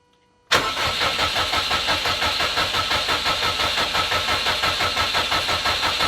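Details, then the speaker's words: Subaru Impreza after full rebuild, first start attempt after three years, spark plugs next to check: starter spins the engine evenly about three beats a second but never fires; crank no-start. "well it's not starting okay I guess we're at the point now where we check spark plugs and whatnot"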